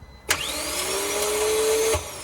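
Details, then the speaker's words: 2014 Vauxhall Vivaro 1.6 CDTI diesel non-runner: a high whine for under two seconds with no cranking, as the starter motor pinion is not engaging; a ruined ring gear is suspected but unconfirmed. "and as you can hear that start motor it's not engaging at all"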